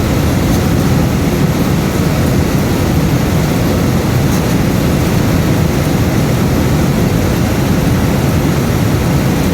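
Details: Cambridge direct-fired makeup air unit with the damper left open to restore airflow after an airflow lockout. A constant deep roar with steady airflow and no surging or cutting out. The burner keeps running, although the flame is still judged not quite right.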